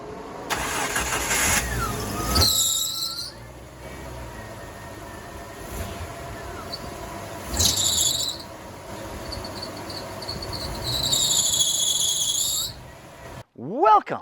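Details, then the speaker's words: Jeep Wrangler at startup: sharp, high squeal in several bursts over the engine, worse with the air conditioning on from the compressor load; slipping serpentine belt with a worn tensioner. "it is making quite the noise when I started up this is especially pronounced when I turn on the air conditioner it's because the extra load from the compressor on the serpentine belt just causes"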